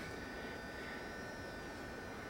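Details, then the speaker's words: Mason & Hamlin Red Welte player piano, electric motor (not the original) driving three pumping bellows via pulleys and belt: steady noisy motor hum with thin whining tones while playing. "this motor is noisy there are some General Electric Motors that are less noisy but you can hear the hum of this motor when it's playing"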